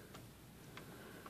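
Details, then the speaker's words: Smith Corona Sterling typewriter escapement: three sharp bright clicks about half a second apart; loud pawl click suspected from expanded rubber spacer making the pawl stick. "but if that's too big right there it will let me put something in here impede it from moving it will make a loud click loud"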